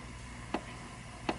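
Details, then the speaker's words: Cactus Canyon Remake saloon door mech (Chicago Gaming upgrade kit), switch screw deliberately overtightened: two isolated door clicks with no switch snap between them; the bound switch is not opening. "The switch is not opening."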